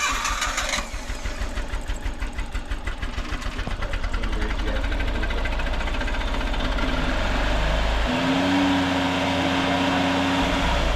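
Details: Autozam AZ-1 after clogged exhaust cleared and plugs refitted, earlier running on two cylinders; catches into uneven idle with recurring stumble, still missing on a cylinder, traced to bad distributor cap and leads; misfire.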